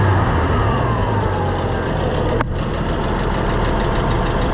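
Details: Oliver 1650 tractor after a leak fix: the engine runs steady with an even low beat and no knocks, then the revs drop back. It sounds healthy and settled.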